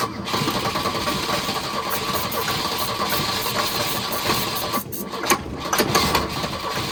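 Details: Abandoned Volvo 242, just revived: it barely keeps running, ragged and uneven with stumbles, surges, misses and sputters but no knock; it still needs carburetor work and fuel.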